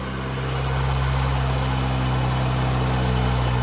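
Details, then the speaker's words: 1977 Ford Pinto Cruising Wagon with 2.3 from a 93 Mustang, started via switch panel and start button; low steady idle settles and holds even, an improvement over the earlier high idle. "W that's better than it was I say that's an improvement"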